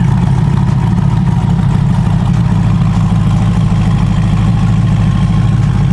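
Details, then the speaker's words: C8 Corvette E-Ray with freshly built 427ci LT2 V8, cam and twin turbos, just after first start on a base tune; deep, even idle with a steady low rumble and no knocks, ticks or misses. "It's gonna be the very first cammed and turboed E-Ray, but it's ready. It sounds good, and I'm very happy."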